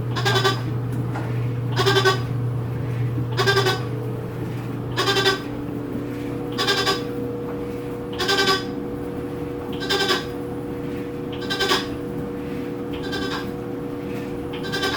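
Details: New Whirlpool washer, model WTW4816FW: a bleating moan repeats about every 1.6 seconds over a low motor drone during the wash; cause unclear, owner unsure whether it is normal.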